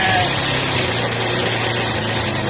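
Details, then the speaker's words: Yamaha SR125 single-cylinder, laid up for years, first start after storage with choke on: fast, steady lawnmower-like buzzing idle that won't settle; oil seemingly needs to circulate, revs too high for idle from choke left on. "Sounds like the all needs to circulate a bit, but... Sounds like the lawnmower. Yeah. The rims are a little too high for idle."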